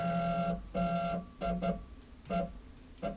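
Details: CNC router stepper under Mach3 moving half an inch against a dial indicator, with the screen then reading about 41 mm: stop-start buzzy humming bursts at one low pitch, coarse and gritty, from an incorrect steps-per-unit setting.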